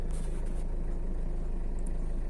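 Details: Ford Figo idling after repair of a wiring short circuit that caused a no-start, no-ignition fault: steady, even low idle with no misses, knocks or surges; idling normally.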